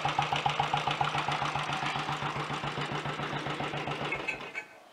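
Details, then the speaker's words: Early Redditch Royal Enfield 350 Bullet with a later Concentric carburettor and new oil pumps, being revived. Single-cylinder idle with a light, regular top-end tick over its thump, then shut-off. Cause: excess play in the exhaust pushrod, adjusted afterward along with retightened cylinder head nuts. "There was a lot of play in the exhaust push rod, so I've taken care of that."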